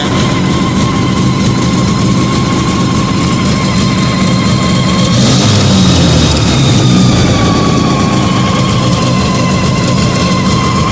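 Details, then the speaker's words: Fiat 125 (Bialbero) on CNG with a newly fitted carburettor gas injector and the original air filter, just started, idle adjusted. Steady deep idle with a brief throttle blip that settles straight back, even and smooth. Normal idle. "Anda muy bien. Fue una prueba cortita, pero la verdad que va muy efectiva."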